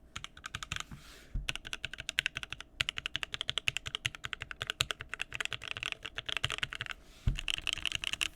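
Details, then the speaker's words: TrashMan Garbage Truck keyboard rebuilt with a new POM plate and Mint switches: quick, even keystrokes with a firm, fairly deep clack and no rattle; normal typing sound. "awesome that sounds much much better awesome okay I feel much better about this board now"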